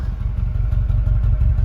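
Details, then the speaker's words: 2021 Mercedes-AMG CLA35 4matic, 2-liter turbo: deep, lumpy burble pulsing unevenly at idle that sounds like a misfire, but no check engine light and nothing felt; just the loud exhaust note on a healthy engine. "But there's no check engine light and you can't feel it. But that exhaust makes it sound like it has one."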